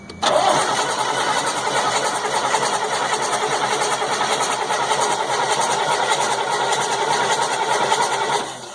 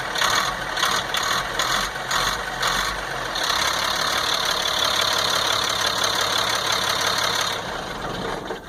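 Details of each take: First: 1998 GMC C8500 with a 3116E diesel, valve cover off, cranked while checking the injectors for oil spray, ECM suspected: the starter whirs at an even speed for about eight seconds, but the engine never catches; crank, no start. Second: 1998 GMC C8500 with Caterpillar 3116E diesel, after transfer pump air leak fix and cooling down: steady idle clatter, then smoothly rises to higher idle on throttle; no-start later returned after restart, ECM suspected.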